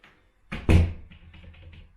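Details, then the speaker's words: Door closing with a single solid thud as the latch catches, no rattle or knock afterward, after moving the lock plate back a few millimetres with new screws to fix a loose rattling door. "no movement in there whatsoever that's not gonna rattle in the wind anymore job done"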